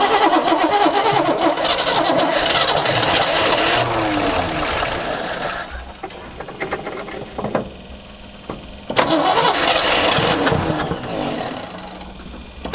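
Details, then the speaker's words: 1976 squarebody farm truck V8 sat 20-30 years, fuel poured down the carburetor: cranks, catches and runs ragged a few seconds, dies, then fires again on the primer fuel. "Yeah, hear all them bubbles? That's air mixing with the gas ahead of time, so it's gonna fire right off. And that is a success."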